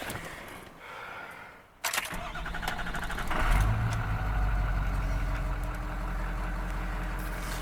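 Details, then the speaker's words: Ford 6.0 diesel work truck: the starter cranks briefly, then the diesel catches and settles into a steady, low, even idle clatter; it runs strong and sounds healthy. "now that 6-0 is running strong sounds and it's s"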